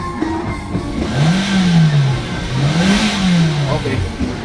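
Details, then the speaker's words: Hyundai Elantra, warm, after computer box repair for no-crank no-start and hunting rpm, scan clean: engine sweeps up toward 6,000 rpm and back twice, clean and even, no misfire or hunting; normal revving. "aabot naman siya ng 6,000 RPM so B good ideal na to kasi naer na natin sa scanner"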